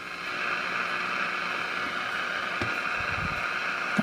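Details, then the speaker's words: Old GE radio after switching modification parts back, run at low voltage during alignment with a signal generator; steady hiss with only a faint trace of a very weak station underneath. Poor reception, weak station buried in noise. "That sounds like a radio station, but I can't tell for sure."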